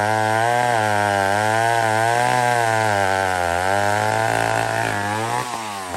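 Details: Old McCulloch 1-71 chainsaw after a major carb upgrade: carb rebuilt, leaking gas line zip-tied, intake leak fixed with a double gasket. Strong steady high-revving buzz holding pitch with slight wavering, easing off near the end. Normal running.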